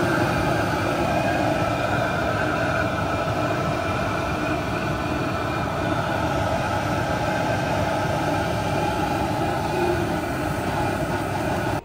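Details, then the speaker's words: Vevor 5 kW Chinese diesel heater in a weatherproof box, starting up after the fuel pump primes fuel through the line and filter: steady even whir with constant fan hum, no surging or sputter, warm air coming, then it cuts off. "And as you can see, I have way too much line here, but it eventually makes its way into the filter and that filter fills up and then the fuel can make its way into the heater unit itself. And then we're starting to get some warm air here."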